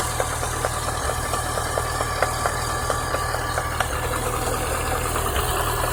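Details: Chevrolet Niva engine at idle: sharp light knocks about once a second, slightly uneven, over steady idle; cause was the water pump with play in its bearing, check pump for play with belt removed.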